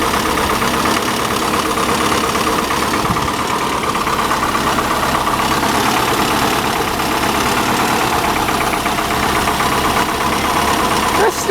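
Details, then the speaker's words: 1985 Chevy Cavalier CS station wagon just started after sitting a long time: uneven, lumpy idle with irregular stumble in the exhaust note; misfire at idle, otherwise not running badly. "Really not running that bad for being sitting so long. Of course, it's got that misfire."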